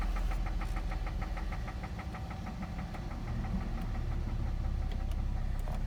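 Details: 2008 Cadillac CTS at idle: steady sharp ticking knock about three per second over a low rumble, an engine knock from inside the engine.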